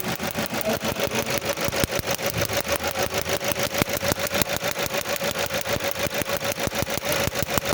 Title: P0301 code on a Toyota means Cylinder 1 Misfire Detected #misfire